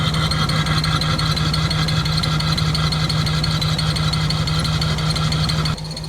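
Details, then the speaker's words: Abandoned non-turbo Nissan Skyline R34 petrol engine with pod filter, injector cleaner in the tank, idling unevenly with an irregular, lumpy pulse before idle air adjustment; idle air set too low so it struggles. "So as you can hear, the pod filter It's making a repetitive symphony."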